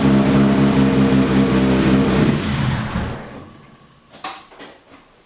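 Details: Newly fitted car engine that won't stay running, with light, constant throttle held: catches with a lumpy, uneven drone, then sags and dies within three seconds. The owner feels it runs on three cylinders. Rough running and stalling.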